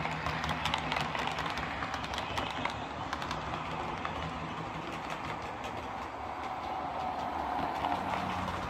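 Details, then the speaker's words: Lima Eurosprinter model locomotive after lubrication to cure screeching, running on the layout: steady rolling rush with low growly motor hum and light rail clicks, no stutter or surging; running really well. "Well, there we are. That's this Lima Eurosprinter running really well now. Very well, actually."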